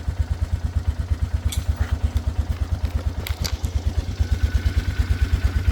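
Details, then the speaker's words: 2013 Polaris Sportsman 500 HO, first fire after sitting, with a fresh battery and choke: an even thumping idle with no misses or knocks. It sounds healthy and quiet, with a little steam and no smoke. "I mean it sounds healthy sounds like a Polaris to"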